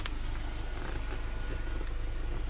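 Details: 2021 Hyundai i20 with the steering column covers removed, engine running: rough, rapid purring grind from the weak electric power steering motor while steering.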